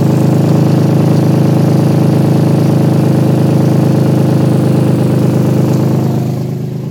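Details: Loud low idle with a sharp puffing pulse about three times a second that swells with revs, typical of an exhaust leak.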